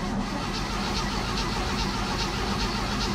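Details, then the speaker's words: Barn-find 1967 Chevy C10, 250 straight six, choke opened by hand, battery giving trouble: the starter churns evenly for several seconds and it never fires. The carb float bowl was later guessed to be empty. Extended cranking, no start. "oh come on baby what is her her deal lately"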